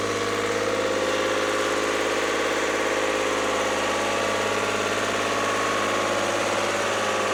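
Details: Lister ST3 diesel generator after new starter, voltage regulator, air and fuel filters, fuel pump, plumbing and fresh oil: steady, even chug with constant beat, no knocks, misses or hunting; running smoothly.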